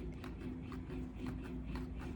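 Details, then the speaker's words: 2015-2017 Ford F-150 4x4 with heavy 35x12.50 tires on 22-inch wheels: left front hub bearing spun gives a low rumble with rough gritty pulses about four times a second, unlike the quiet other side; worn hub assembly. "Here was our issue right here. This bearing, you might"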